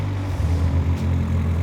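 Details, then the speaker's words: Turbocharged 285hp Vauxhall Zafira idling after fresh coil pack and spark plugs: deep, steady hum with an even beat, no stumbles or misses; smoother than before, road test still needed. Normal idle. "that's actually smoother than it was ah we got to test it it needs a road test"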